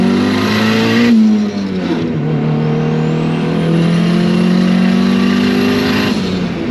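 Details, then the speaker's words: Built-engine single-cam turbo Honda Civic at 20 psi boost with DIY water-methanol injection, warmed up after weeks unused: strong smooth pull through the gears with an uneven exhaust flutter under boost; cause not identified. "It's actually pulling really smooth and really strong, but the exhaust sounds weird. Like it almost sounds like the exhaust is fluttering."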